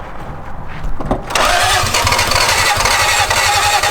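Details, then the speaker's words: 2JZ car, dead battery, on jumper pack: starter turns in uneven lumpy bursts with puffs, won't catch, like a rotary trying to start; fuel present, suspected zero compression. "an do you hear it's not even true you could hear like a little bit of puffs coming out of it it sounds like a rotary trying to start"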